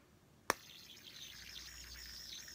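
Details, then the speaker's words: Ergo Alpha brass fidget spinner, about 90-odd grams, with what looks like a standard 10-ball stainless steel R188 bearing: flick then faint airy swishing hiss while spinning, a sound usually associated with hybrid bearings. "The problem I was having was that this spinner makes this certain swishy sound that I've come to associate with hybrid bearings."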